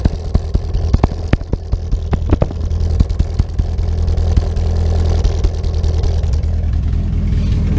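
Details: 2010 VW Gol with EA111 engine, reportedly rebuilt but with piston noise and head oil pressure loss, cold start: sharp, irregular pops over a low idle for the first few seconds, then steadier running; popping on cold start, cause suspected.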